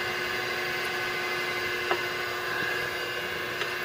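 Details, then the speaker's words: Willis 12" x 24" automatic surface grinder, 5 hp spindle motor with 14-inch grinding wheel, just switched on: quiet steady whir with faint constant high tone, no knocking or grinding, normal running. "Okay, it's a 5 horsepower motor and 14-inch grinding wheel. We'll go down here, we'll turn it on. Of course it's very quiet right now, but it is running."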